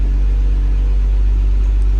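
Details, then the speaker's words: Old boat engine (Marine Trader) at the dock just after start, warming up: low, steady rumble with even firing pulse and no ticks or misses; charging good, everything working, healthy idle. "Charging's good, everything's working."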